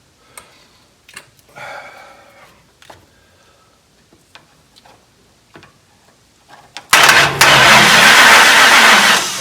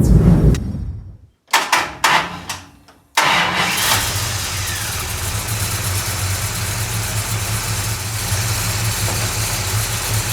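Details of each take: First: 1969 Dodge Charger with ignition-system problems, started via a dash push button: after clicks, the starter spins the engine evenly for a few seconds without catching. The ballast tested good and the coil is unknown. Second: 1969 Dodge Charger after ignition troubleshooting, since the distributor sparked only out of the block: cranking stutters twice, then the engine catches and settles into a steady, even idle with no misses. It now starts and runs normally.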